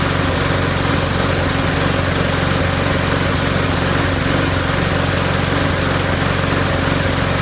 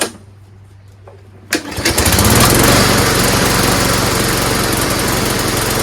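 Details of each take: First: Small single-cylinder lawnmower after refilling with fresh gas: an even, steady drone at constant speed with no stumbling or surging, seeming more powerful, then a clean shutdown. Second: Street-found lawnmower, primed, started, then died: a rapid, uneven putter that stumbles and surges instead of running smoothly. Owner suspects rainwater got into the fuel tank through a hole in the cap and plans to drain the tank and carburetor.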